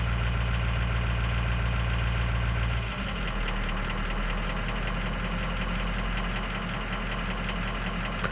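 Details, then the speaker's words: Ford Powerstroke diesel (6.0 or 7.3) during a scan-tool key-on engine-running on-demand self-test; idle clatter drops and changes note as idle is cycled; cylinder six contribution balance issue later reported. "Swiss to be cycled on and off during self-test so we hit okay and here it goes I don't know if you can hear that but the truck is going through its deal"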